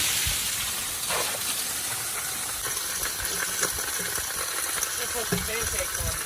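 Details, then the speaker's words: In a 1979 Ford truck with a grenaded engine, water going through a hole and down past the valve cover hits the hot oil pan. It makes a steady, high sizzling hiss with faint crackles: water boiling in the crankcase. "So the water was going in that hole, going down through the valve cover and hitting the bottom of the oil pan. You can hear it sizzling down in there."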